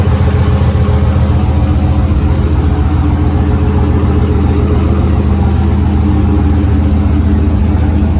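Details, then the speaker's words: 2005 GMC truck with a boost-ready 5.3L V8 and single-turbo kit, first start after install checking for leaks: smooth, healthy idle with a steady low rumble. "but you can hear the truck sounding great I'm going to go ahead and uh shut the truck off"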